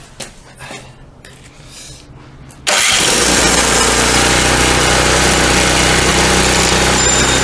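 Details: Snowblower: quiet fiddling, then the engine catches at once and settles into a steady, even roar; starts and runs fine.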